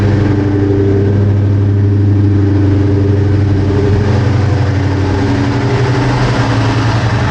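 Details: 2003 SVT Cobra V8 first cold start in cold rain after engine removal and valve guide and seal repair, headers burning off residue, check engine light on: deep, even idle with steady low rumble, no knocks or ticks; sounds healthy.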